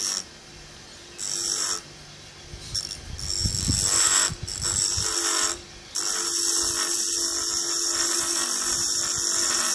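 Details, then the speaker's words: Restored vintage GMF bench grinder with new grinding wheels and bushes starting up: clean, steady high hum with almost no vibration, wobble or rumble; running smooth and healthy. "it sounds beautiful when it starts up as you'll be able to tell when I am I'm gonna turn it on there's almost no vibration to it"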